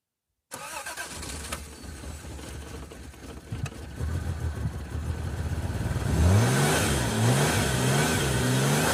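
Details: 1989 Toyota Cressida that sat for years, after adding about a gallon of gas: cranks a few seconds, fires and takes clean throttle blips rising and falling smoothly; a little smoke at first, quickly cleared. Normal start and revving.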